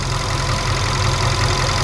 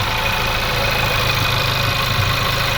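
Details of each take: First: VW Polo R Line 1.2 TSI petrol after timing chain, spark plug and air filter replacement: even, steady idle with no knocks, rattles or hunting, running smoothly. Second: VW Polo R Line 1.2 TSI petrol idling after new spark plugs and air filter; mostly steady idle with a soft stumble every couple of seconds, an occasional misfire; owner plans fuel filter change.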